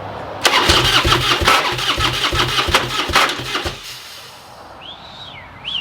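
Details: Harley-Davidson bagger rebuilt from a burnt bike, first crank after adding fuel: uneven, lurching starter cranking for about three seconds with jerky thumps and no catch; sounds weak, low pressure suspected, engine kicking back while cranking.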